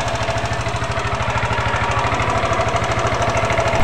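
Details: Yamaha NMAX scooter idling with a fast, fairly even light ticking over a rough rattly run; the ticking is caused by excessively loose valve clearance, the roughness by a slack V-belt from worn roller housing and roller parts.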